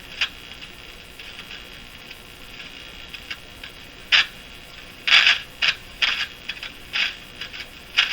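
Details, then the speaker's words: Crosley Moffat G-165 five-tube radio after three paper/wax capacitors replaced: irregular sharp crackle and scratchy pops over hiss when the dial is turned fast, not slow; tuning capacitor plates suspected, possibly pinched, unconfirmed. "Well, let's just do a little bit on the crackle here. We'll tune it to where the radio's consistently crackly."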